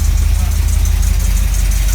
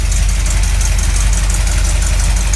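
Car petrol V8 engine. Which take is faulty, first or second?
second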